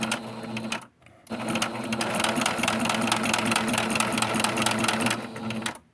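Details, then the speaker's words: Sewing machine, noisy after cleaning and oiling: a hard metallic clack on every stitch, a bit over two per second. Owner suspects metal is touching on the left side or at the back, but this is unconfirmed. "I'm thinking that over here to the left, that it's metal is connecting."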